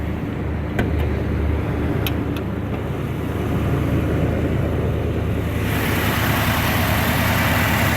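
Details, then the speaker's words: Restored 1989 Jeep Grand Wagoneer with new fuel injection and belts, heard under the hood at idle: low even hum, soft steady rumble, no knocks or squeals, quiet thanks to hood insulation; normal idle. "you can really hear how quiet is imagine new fuel injection belts and a lot of other parts but what makes a difference is that being quiet is the hood insulation"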